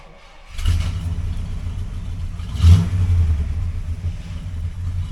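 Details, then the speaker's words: 1960 Chrysler Saratoga with a 383 RB big block, after rebuilding the front driveshaft trunnion joint with a torn boot: smooth rumble pulling away and shifting from reverse to drive, no clunks or rattles; normal driveline. "sounds good no funking no rattling switch from reverse to drive yep that's pretty quiet"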